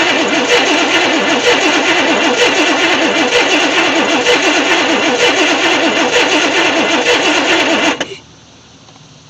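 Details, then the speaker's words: 1964 Chevy Impala SS convertible after 35 years in a shed: steady starter cranking about three turns a second that never catches, no visible spark at the plug, fuel leaking between carburetor and intake manifold. Cranks, no start. "I'm gonna crank it over and look and see if I get a faint spark if not I might go get a coil and throw on here oh I don't see anything coming out"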